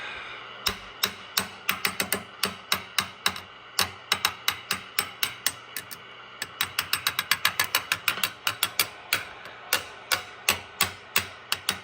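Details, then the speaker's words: Swan 700 transceiver, no antenna, idling with hiss after extra solder grounding on tube sockets, chassis tapped with a screwdriver handle: sharp rattly ticks with each tap; microphonic rattle suspected in the audio output tube, to be replaced. "something in the receive section has a little bit of chatter to it not bad"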